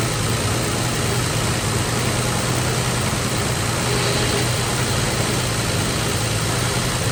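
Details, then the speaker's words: 1961 Valiant six-cylinder, off the road over 30 years, running after points were sanded and spark sorted; deep, steady rumble through a loud glass-pack exhaust, even low burble, no misses or knocks; normal idle. "they said it had a glass pack on it I can tell wow that's running pretty that sounds a lot better yeah"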